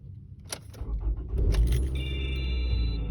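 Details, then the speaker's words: 2010 Toyota RAV4 engine at start-up: keys jingle, then a brief strong rough rattle/rumble with vibration in the first split second, cold or hot, before settling into a smooth idle. The previous owner reported the same loud racket at start. "That sound is nice and smooth, but if you listen to just that first split second, it kind of rattles and can't quite figure out what it's doing."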